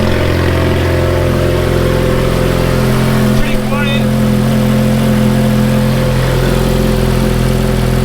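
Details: Ferrari F430 with good exhaust headers, at idle: quiet, steady and even, with only a faint valve-train ticking and no exhaust leak noise. Normal idle.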